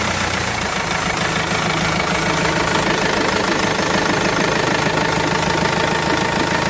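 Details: Renault Master 2 diesel idling after replacing the timing belt kit and faulty automatic tensioner; steady even clatter, regular beat, no stray knocks.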